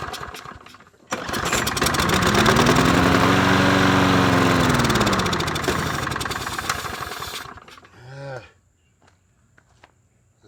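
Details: Troy-Bilt 21-inch mower, 190cc engine, air filter off while spraying carb cleaner: fires, surges and sags unevenly for several seconds, then dies; fuel delivery trouble, cause unconfirmed.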